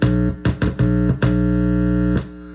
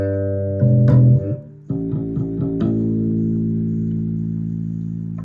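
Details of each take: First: Sterling by MusicMan Ray 34 bass, stock preamp, through a practice amp: loud organ-like buzz in bursts whenever metal parts are touched, from a loose ground wire; grounding it to the jack's ground wire removed the hum. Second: Sterling by MusicMan Ray 34 bass with stock active preamp, after repair: plucked notes ring clean and full with no hum or crackle. It had made noise when the preamp's metal parts were touched; the fix was resoldering a bad ground connection.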